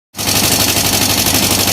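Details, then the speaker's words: Yamaha M-Slaz motorcycle before engine repair: loud, rapid, harsh metallic clattering over the running engine. Abnormal mechanical noise, cause not yet identified. "คือมีเสียงดังนะครับเสียงดังขนาดนี้นะครับก็ถ่ายให้ดูไว้ก่อนนะครับ"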